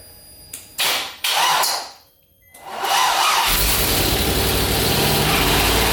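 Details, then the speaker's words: LS V8 swapped Nissan 350Z, first start running on speed density with VATS deleted: a couple of cranks and a stumble, then fires and holds a fairly high, slightly hissy idle; small vacuum leak from makeshift intake plate, otherwise runs fine. "well boys she runs it still had a little bit of a vacuum leak from my makeshift platon that I put on there but it starts it runs it doesn't sound bad"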